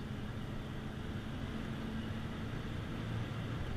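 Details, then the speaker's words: 1996 Ford F250, warmed up, under hard throttle: a deep, even engine pull builds steadily with smooth, consistent automatic shifts and no knocks, whine or clunks; the drivetrain is healthy. "I mean, it pulls nice and strong, really quiet, just smooth, consistent shifts."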